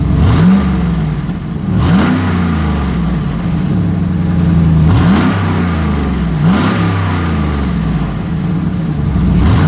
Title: Exhaust leak! 08' Sierra Denali 6.2L L92 cold start and rev